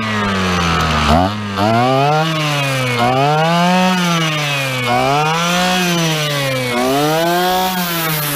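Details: Two-stroke petrol trimmer that would not start, after the carburetor was removed, a spark check (the suspected culprit) and priming. Warming up with a crisp note that blips up and down smoothly and returns to a steady idle, with no hesitation or cutting out. Normal running.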